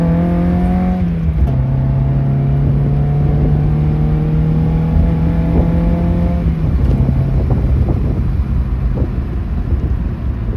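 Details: Mazda Miata on SpeedyEFI: engine pulls up steadily, then stumbles and drops at the same point twice, a consistent misfire at 4900 rpm.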